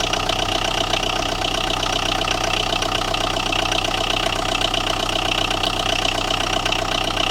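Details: Tata Indigo with starting problem, idling: steady idle with a light, regular tapping about three times a second, engine knock, cause not yet found.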